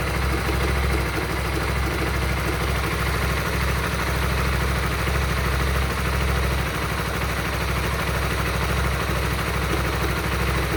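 Low, uneven idle with a loose, irregular beat of about three per second under the exhaust drone, not a clean steady tickover.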